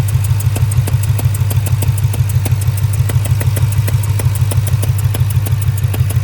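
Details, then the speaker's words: 2002 Ford Mustang GT 4.6 2V V8 at idle: deep steady rumble with a sharp regular tick about three times a second that goes away with throttle; owner first suspected a spark plug about to blow out; cause unconfirmed. "you could hear the engine ticking pretty good at idle. But the second you give it gas, that tick goes away."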